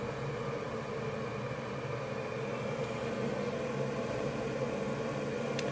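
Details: York Diamond furnace after replacing the failed draft inducer motor (old one was very hot, humming, pressure-switch three-flash code); new inducer runs with a steady even hum, no rattle or bearing noise; normal running.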